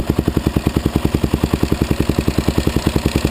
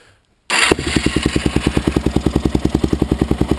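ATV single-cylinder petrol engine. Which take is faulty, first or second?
first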